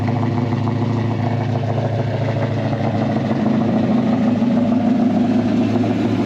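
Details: 1968 Dodge Dart 340 V8 with a rebuilt A727 transmission, still cold, oil pressure climbing to almost 60: steady, deep, even burble holding a constant pitch without misses or knocks; normal idle.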